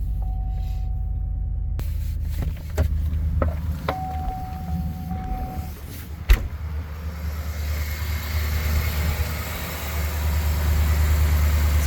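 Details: 2009 GMC Sierra after a new battery fixed a hard-crank no-start in cold weather: a chime and clicks, then the starter catches and the engine settles into a steady, even idle; normal idle.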